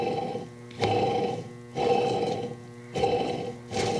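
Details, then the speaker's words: Electrolux washing machine drive motor run with the belt removed, giving a rough rumbling growl with a humming tone surging about once a second; the noise comes from worn motor bearings, not the drum mechanism bearings, and needs identical replacement bearings. "esses barulhos estão aqui dentro, são o rolamento do motor."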